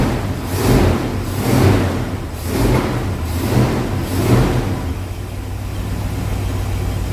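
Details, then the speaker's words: 1973 Pontiac Ventura, rebuilt 350 Pontiac V8, replacement carburetor after old gas removed: rough idle with a dull pop and surge about once a second, then settling; idle mixture screws uneven (1.5 turns front, 0.5 rear), owner expects setting four-corner idle fixes the pop. "so we'll start it up and we'll start going through them get this four corner idle set and I bet that pop goes away"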